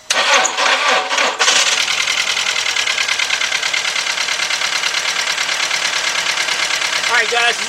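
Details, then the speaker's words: Volkswagen with 2.0 engine, just given a new fuel pump and jump-started, idles with an uneven lopey stumble of about two beats a second; serious cylinder misfire with the check engine light flashing. "can see it's got a serious misfire now let me disconnect this"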